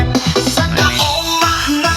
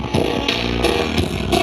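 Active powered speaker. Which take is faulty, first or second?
second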